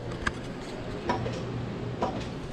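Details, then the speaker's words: Line lock solenoid on the Maliboom drag car, switched on and off during transbrake wiring: three crisp single clicks about a second apart in a quiet room; normal solenoid click. "So on and off. And I think you can hear the solenoid"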